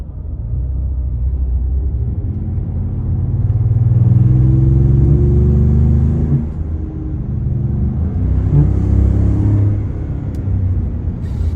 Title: Ford Raptor Gen2 loud air rush/power loss and now humming/grinding noise while accelerating